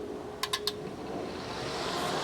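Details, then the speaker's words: FSJ Cherokee AC refurbish, bench-testing auxiliary fan relay with built-in fuse by applying power: three quick relay clicks then steady air rush as fan spins up; relay and circuit working correctly. "And you can see that the fan is running. It's pooling. You can take a piece of paper, tissue paper, and put it up there. Make sure it's blowing the right way."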